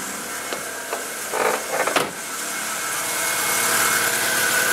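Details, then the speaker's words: MK4 VW Golf 2.0L right after spark plug replacement and intake/plenum refit: after some clatter a steady high whir rises and holds over a quiet, smooth engine; secondary air injection pump running normally, slightly noisy. "that noise that was just making is the secondary air injection right here it'll typically make a little bit more noise sounds like it's running nice and smooth"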